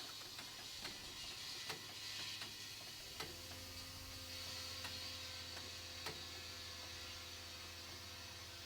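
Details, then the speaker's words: Polaris RZR ATV tire being aired up: steady high airy hiss under faint clicks throughout, air escaping fast from a puncture almost on the sidewall, found by ear before plugging. "I can hear it. Whoop. There it is right there. So the hole is almost on the sidewall."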